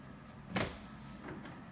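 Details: Door opened before any fix: short, harsh groaning creak from a dry hinge pin binding in the hinge; to be fixed by driving the pin out with a nail set.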